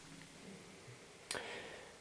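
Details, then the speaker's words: Vestel-made 42-inch super slim TV dated May 2009, stuck in standby: a single sharp relay click as it tries and fails to power on; power supply suspected. "but this is stuck in standby so in the relay you can hear the relay clicking on and off when you try to turn it on"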